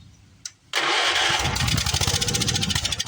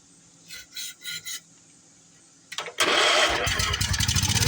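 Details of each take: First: Old Wheel Horse mower, sat unused in garage after quitting, fired on the carburetor after spark checks: short crank, then small single-cylinder settles into quick even chug, no misses. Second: Old Wheel Horse tractor single-cylinder engine that had sat unused, with good compression, run on fuel primed into the carb: catches with a crisp, fairly even beat; sounds healthy but not picking up fuel from the tank.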